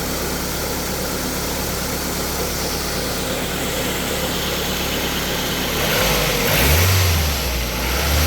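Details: Ford Focus Mk1 idling after a drive belt change, on a cold day; steady, even idle with a smooth low hum and no belt squeal or chirp; the earlier noise seems to have stopped; normal running, though next cold start is still unconfirmed.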